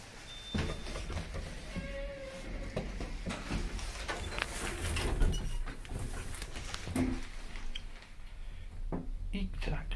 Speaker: You can hear the brake clunk. Stops very harshly, this one.